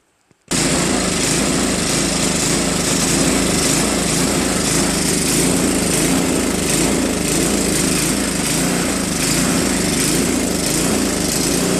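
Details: Craftsman 2 Trac-Drive snowblower, Tecumseh Snow King 5.5 hp 195 cc, 24-inch, stored a year with gummed carb; after carb cleaning and idle screw adjustment, steady single-cylinder idle still slowly rising and falling, hunting slightly at low idle.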